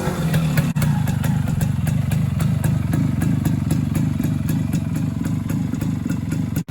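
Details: Suzuki K125 Type 4 two-stroke motorcycle after muffler exhaust-leak repair: steady low burble with even popping about four per second, no hiss or spitting from the pipe; exhaust sounds sealed.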